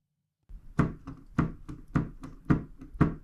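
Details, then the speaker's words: Yamaha P45/P71/P125 digital piano: dull hollow slap with each key stroke; suspected loose key hold-down screw or dried-up silicone grease, not confirmed. "hear that slap not good that's what i want that could be caused because a screw that holds down the keys could have started to walk off and loosen up or the silicone grease has dried up"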